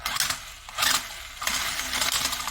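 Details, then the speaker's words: Old battery-powered 4x4 toy car with faulty front-wheel drive. Rapid, uneven gritty clatter in bursts as the small motor drives, from destroyed gearbox teeth skipping and grinding under power. "you can hear the noise that's the noise of grinding gears but yeah"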